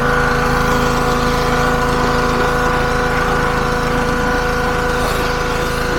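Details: Petrol-powered pressure washer, salvaged from scrap, after its seized pump was replaced with a new FridayParts pump: steady small single-cylinder drone with even pump hum while spraying under load; lance very powerful, slight fitting leak; runs normally.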